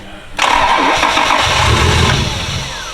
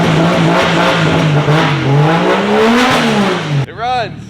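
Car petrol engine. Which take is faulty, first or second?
first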